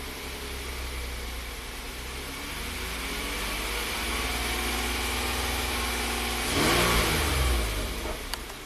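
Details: Hyundai Santa Fe after replacing bank 2 intake cam phaser (CVVT), warming up at idle, fuel trims single digits: steady even idle hum with a brief smooth rev blip near the end; running clean.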